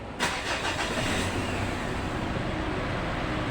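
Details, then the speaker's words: Mitsubishi Pajero diesel after repair of wrongly fitted timing belt, rocker arm, seals, new fuel filter and bled fuel system: starter catches instantly, settles into steady, even idle, no misses or knocks; normal start. "untuk mesinnya sudah hidup Ya teman-teman karena kemarin sudah kita buang angin untuk eh minyaknya"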